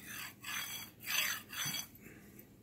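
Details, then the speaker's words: Original Anet A8 3D printer linear bearing pushed along rod by hand: gritty hissing rasp with felt resistance; replaced with quieter, smoother lubrication-free bearings. "can hear the noise it makes and it's by moving but I feel it has a sort of resistance of course might need a bit of lubrication"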